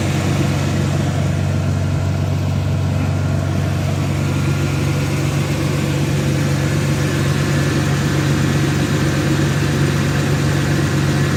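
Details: 2002 Dodge Intrepid 2.7 at 213,000 miles. The belt squealed when turning the steering wheel because a loose alternator bolt let the belt go slack; it has now been fixed. Steady, even idle with a low rumble and no belt squeal or chirp.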